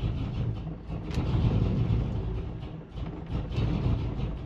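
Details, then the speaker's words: Pontiac GTO with soft brake pedal, just after starting: engine labours, revs surging and sagging, dropping to about 950 rpm and wanting to stall; rough running, cause not identified. "I mean it sounds like it's R then it just wants to stall out"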